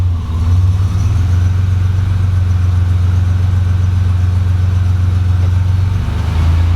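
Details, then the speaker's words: 1987 Buick Grand National after swapping the failing Power Master for a vacuum booster, at idle in gear with foot on the brake: low, steady hum sags slightly under load then settles. The brakes hold, with no pressure loss or dash lights. "can hear the motor drop so so far the brakes are holding the wheels from spinning no loss of pressure no lights on the dashboard"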